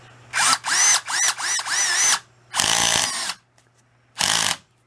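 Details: Masterforce 20V 2-speed 1/2 in. cordless drill/driver, new, brushed four-pole motor, low speed with clutch engaged: short bursts of motor whine with rapid ratcheting chatter as the clutch slips; normal torque-limiting, nothing wrong.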